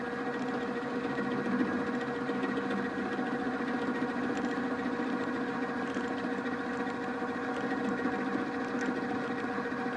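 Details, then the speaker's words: Milling machine cutter fed across the part with a steady hum plus rough buzzy chatter and low rumble; the chatter leaves surface irregularities of about ten-thousandths of an inch. "it's sort of working but you can hear some rumbling some chatter we feed this across the part"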